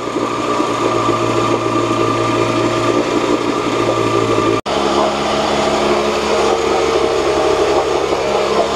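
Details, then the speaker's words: 1986 Johnson 4 hp Seahorse two-stroke outboard in a test tank after water pump and passage work, about five minutes running and a bit hot: steady high-pitched even buzz, no misses or surging, cooling water flowing; small known carburetor leak. "so it works good. There's a little leak on the carburetor, but I know about that."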